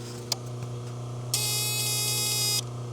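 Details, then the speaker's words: Holden VL Calais 304/308 V8 at idle with indicator on: harsh high even buzz for about a second from under the dash, started after engine removal and refit; old aftermarket alarm unit suspected. "I don't know what sort of mess is under here, but it must be some bloody old school alarm thing, but this is the thing that's buzzing."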